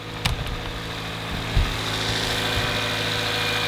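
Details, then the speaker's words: Cold start of an oil-burning engine, all four cylinders burning oil, just after new spark plugs: starts better but steady rumble carries light irregular clacking, which shows the engine is worn internally from infrequent oil changes. "well it starts out better than it did but you can hear the engine clacking"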